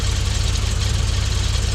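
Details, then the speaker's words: Frogeye Sprite four-cylinder warming at idle after ignition timing adjusted a couple of degrees by ear and new coil fitted to cure a misfire; quick even idle pulse, no miss or knock, sounds happy. "just let the engine get warm that sounds happy"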